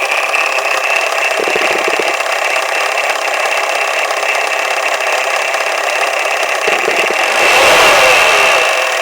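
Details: Volvo 480 with B18E petrol engine: sharp machine-gun-like rattle when revved that continues after the throttle is released, also present at idle and when driving.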